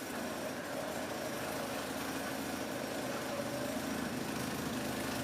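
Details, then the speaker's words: Volvo 240 idling just after its first start following months off the road for water pump, timing belt, thermostat, B cam, adjusted shims and Redblockpowered ECU/EZK: steady, even exhaust pulses about three per second, no knocks or misses, nothing leaking; normal idle. "Nice even pulses."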